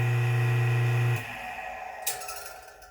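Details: Old drill press motor after repair of knocking/rubbing from a beat-up rotor, pulley not yet fitted: steady, even mains hum with no knocking or banging inside, then switch-off and quiet coast-down; motor now runs smooth.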